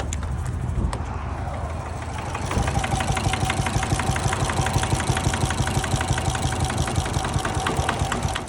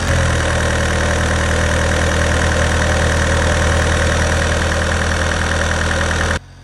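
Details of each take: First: Vauxhall Astra H van, 1.9 Z19DTH diesel converted from 1.7, after engine failure: starter spins it quick and light, about three even beats a second with no compression drag; owner suspects snapped rockers, cam belt intact. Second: Vauxhall Astra H van, converted to 1.9 Z19DTH Fiat Multijet diesel, after top-end engine damage repair and re-timing: even, steady idle clatter with no knocks or misses, running healthy.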